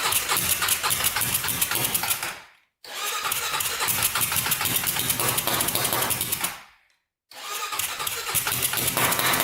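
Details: Turbocharged 1999 Honda 400ex quad single with an added fuel pump fires up with a rapid rattly beat, then dies out twice and can't keep running; owner thinks the carburetor must be pressurized, and a leak and weld still need fixing.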